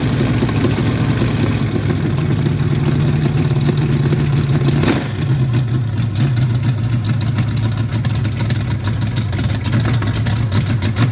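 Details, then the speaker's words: Rebuilt Chevy 350 for 1968 C10 on test stand, first fire-off in freezing cold, new Brawler carburetor untouched out of the box, new Hedman headers; steady even rumble after brief blip, no misses or knocks. Normal running. "thumbs up to brawler carburators that that worked pretty good right out of the box"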